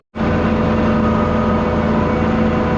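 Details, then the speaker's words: Ranch feed mixer at about 60% to 2/3 throttle, mixing feed: steady, even mid-throttle drone with no surging, knocking or labouring. It is working normally, held mid-range on purpose. "I never run it more than just so the engine sounds like it's working, but it's not like revved or really laboring. Try to keep it right in the middle."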